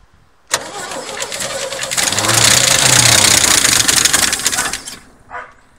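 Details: 1972 Chevy pickup, dragged from pasture after sitting about 24 years, fuel primed by hand while starter cranks at a steady four-a-second rhythm for several seconds; engine never catches, crank no-start, no exhaust smoke.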